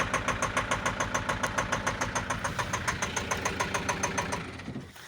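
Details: Renault Master 2 2.5 diesel at idle: sharp even knock about three times a second, with black smoke, fading as it shuts down; cause unknown.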